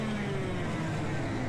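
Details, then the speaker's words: 100cc racing kart during a race: engine holds a steady high, strained howl with no load because the drive chain has come off. "you hear that high-pitched sound that's not good i suspect that my chain is popped off"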